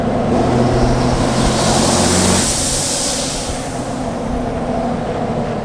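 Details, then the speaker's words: Heavy diesel pickup while towing, pulling hard: a loud rushing whoosh, not turbo spool, with no boost built and heavy black smoke from too much fuel and not enough air. Boost leak somewhere. "So I hope you guys could hear that really loud and obnoxious whooshing sound. And we're just puking coal like no other. So we're getting way too much fuel and not enough air. So I got a boost leak somewhere and we gotta find it soon as well."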